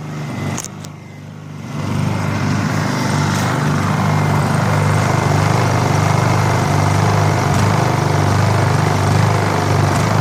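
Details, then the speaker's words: Honda EU2000i generator, long-sat, after draining fuel bowl of suspected water, choke off: picks up then settles into a steady drone with slight rise and fall in speed; mild hunting at idle, owner expects it will be fine. "This one's actually pretty good. Just seeks just a little bit. I'm sure they'll be fine."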